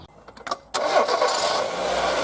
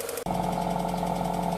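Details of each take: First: Project car after cleaning sludge from the throttle body and lubricating the sticky throttle return spring; cam and accessory belts recently done. Cranks, catches cleanly, smooth idle, two quick free revs; more responsive, running healthy. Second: 1995 Mazda Astina (automatic) project car, engine running: light fast top-end tick over steady hum; owner suspects cam lifters not getting enough oil at the top of the engine, oil looks clean, no smoke.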